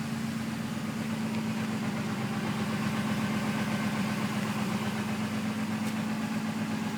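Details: Engine at idle with new alternator pulley and idler pulley/tensioner: thin constant single-pitch whistle over the engine hum; source not identified.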